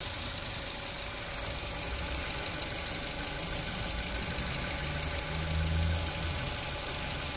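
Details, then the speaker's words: 2018 Mitsubishi Eclipse Cross, engine light, P0171 fuel trim too lean, slightly rough idle: constant airy hiss over uneven idle from split breather pipe between rocker cover and intake manifold leaking vacuum. "popped the Bonnet had a visible look around could hear the leak straight away and was very easy to see it there was a breather pipe coming from The Rocker cover down to the intake manifold"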